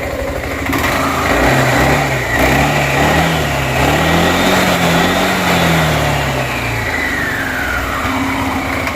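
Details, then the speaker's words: Suzuki Burgman 400 after the 3-pad to 5-pad clutch upgrade: revs rise and settle with a clean note, no ringing or chatter; much quieter, normal clutch engagement. "Yeah, it's just a game changer. Game changer. So much quieter."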